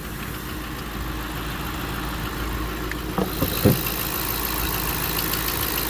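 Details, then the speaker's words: Hemi V8 at idle with a light lifter tapping and a few sharper clicks; owner hears no hard camshaft-load frequency and suspects lifters rather than the cam, lifter tick. "Yes, I think this just lifters, guys. I don't hear that hard frequency of a camshaft load being."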